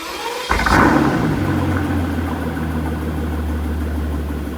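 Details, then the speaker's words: 2015 Mercedes-Benz S65 AMG after a full engine rebuild, first start with the exhaust fitted; the engine settles into a steady idle with a faint ticking knock underneath. Suspected cause: the replacement starter motor touching the engine. "That's not a good sound. Please don't tell me I have to rebuild this engine again."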